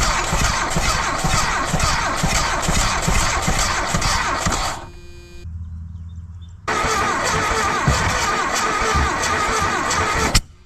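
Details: 1982 Dodge Charger 2.2, unregistered since 1990, plug wires repositioned, fuel poured in by hand since the used pump doesn't work: catches, runs rough briefly, dies, fires again unevenly and cuts out; hard starting.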